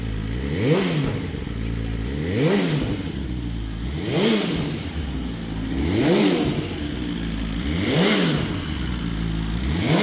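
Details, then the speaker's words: BMW S1000RR first start after oil plug came out and oil went everywhere: blipped about every two seconds, revs climb and fall cleanly, no knock or rattle; running healthy. "all right so that was the first start of the s1k with the oil plug that came out of it and oil went everywhere bike sounds great so we should be good to rock and roll"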